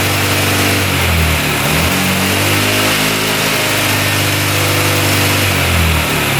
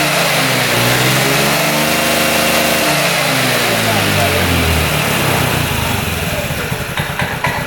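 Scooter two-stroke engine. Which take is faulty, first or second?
first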